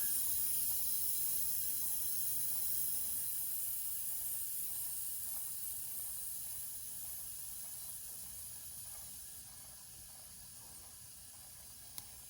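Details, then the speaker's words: Basement, house water main slowly reopened after replacing an outdoor spigot: steady high hiss of water rushing through the lines, slowly fading as pipes fill and pressure builds; normal refill. "You hear the water filling in. And at some point, it should stop hissing."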